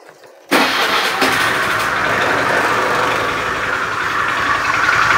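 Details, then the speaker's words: Honda Beat FI scooter with rough starter: starter catches, then harsh rough idle with a faint steady clatter from the engine; mechanic's analysis suspects a worn, damaged connecting rod. "suara kasarnya ditimbulkan sepertinya analisa dari mekanik bengkel ada keausan dan kerusakan pada stang sehernya"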